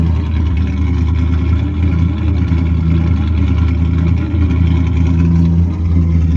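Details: Chevrolet Camaro third-gen with 305 TPI V8, previously crank-no-start, now starting and running with injectors reconnected: low, steady idle with slight pitch wobble, no misses or stumbling; normal idle.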